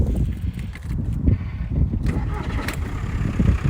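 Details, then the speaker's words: VW Golf Estate MK4 1.9 TDI PD130 ASZ diesel: starts on the button, settles into even low diesel clatter with no misses or hunting, sounds better than others of its kind; normal cold start. "So yeah, that's honestly, it sounds as good as what any of them, to be honest, it honestly sounds better than any of them I've ever had before."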